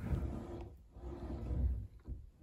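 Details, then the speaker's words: Quiet drawer slide after fix: plastic wheels on long metal drawer tracks sprayed with WD-40/penetrating lubricant; soft low rolling rumble as drawer glides, no rattle or clatter, not perfect but reduced noise. "it's not perfect but a nice do-it-yourself trick if you're interested in reducing some of the sound that your drawers make"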